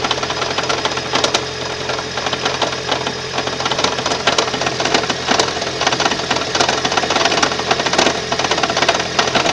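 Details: 2012 Toyota Prius 1.8 facelift at 32,000 km. Sharp, irregular ticking knocks ride over a busy engine hum with a buzzy vibration. The knocking comes from the engine, cause unknown.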